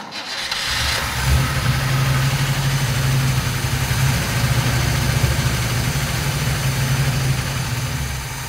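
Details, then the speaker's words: 1957 GMC 100 pickup engine first start after sitting many years, fuel poured into carburetor bowl with no fuel line: uneven, stumbling beats and wavering pitch; sounds worn out with some blow-by from valve cover vent, but runs. "well it runs it definitely sounds whooped though a little bit of blow by coming out of the uh old vent there on the valve cover but it does run"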